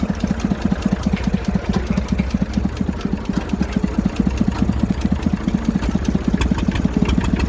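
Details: Massey Ferguson 35 three-cylinder diesel, seized by frozen water after 20 years in the woods, on its first run: a loping, slightly uneven slow idle. It has a fuel leak, is burning oil and has no coolant in it.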